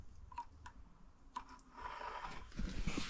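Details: Norton Model 50 motorcycle, wheel turning: sparse light clunks and clicks from a loose solder balance weight wrapped on a spoke near the rim lock, plus slight scraping from the brake drum.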